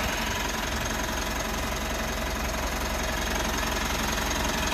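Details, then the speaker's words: 3rd-gen Mitsubishi Montero/Pajero Sport diesel, first start after weeks of quarantine sitting: even idle clatter, steady rhythm, no misfire or hunting; battery reads 14.1 V, key-fob battery low triggers dashboard warning only. "Let's see if it'll start. So, well, starts normal as usual."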